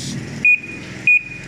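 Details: Panasonic automatic washing machine after controller board repair (previously no power): two short clean high beeps about 0.6 s apart over a low hum; normal power-on beeps.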